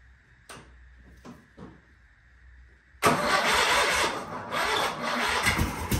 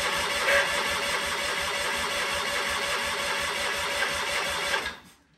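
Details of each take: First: Sears Craftsman FF24 twin-cylinder engine, removed from tractor, after replacing coil and adjusting points: a few faint clicks, catches at three seconds and settles into a busy, even run; starts and runs fine, though oil then leaks. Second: Sears Craftsman tractor with FF24 engine: steady mechanical cranking chatter for about five seconds with no firing. It is getting fuel with some smoke at the exhaust but has no spark, probably from faulty points and coil.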